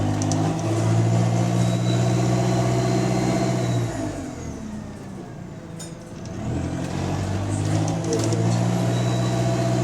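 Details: GAL SE152 bus on route 386: deep diesel drone rising under acceleration, with a rasping, puffing edge that grows with load, then eases off; exhaust leak.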